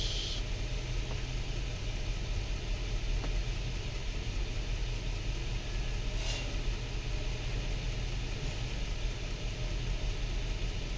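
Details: Nissan Patrol idling with low deep rumble and occasional faint stumble; scanner shows cylinders misfiring, stalls when slowing; oil on plugs and a leaking, shorting coil holder found.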